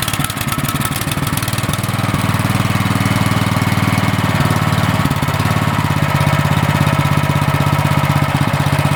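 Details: Cub Cadet snowblower single-cylinder engine that only ran on choke, just fitted with a new MTD 651p05995 carburetor, hand-started: settles into a steady, even low-throttle idle with no hunting or surging; normal idle.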